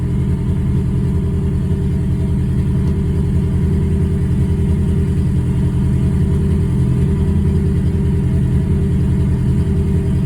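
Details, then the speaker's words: Ford Focus at idle, spark plugs and fuel injectors recently replaced, timing suspected off; steady low idle with an uneven stumbling pulse, two to three beats a second, popping noise; misfire detected on cylinder three, count six. "Misfire count six. So is she misfiring? Really? So, we have a misfire detected cylinder three."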